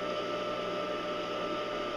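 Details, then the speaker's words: Home-built cyclone dust collector blower motor after bearing regrease: steady even hum with faint high whistle, no grinding or rumble; quieting as bearings warm and new and old grease mix; two-horsepower motor replacement now deferred. "you'll notice as you do this um as the bearings warm up and your and your new grease and your old grease combined that they'll they'll quiet down a little more you can hear it quieting down as we speak"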